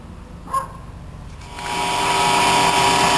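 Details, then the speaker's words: Horizontal boring mill starting up for line boring: a click then steady high electrical buzz with a whistling edge; motor runs and everything works, but the contactor is not fully making contact, causing the loud buzzing. "Okay, I have the machine running and you can hear a buzzing noise. I have a contact, but it's not quite contacting. The motor's running, everything's working, but it's making a lot of noise."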